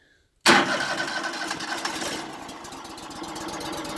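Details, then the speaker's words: Auction-bought wood chipper that would not start due to a fuel-line problem, test-started with the fuel filter bypassed via a taped connector and the air cleaner off: a brief crank, then it catches into a steady, slightly uneven fast idle; normal start. "there it goes. Woohoo!"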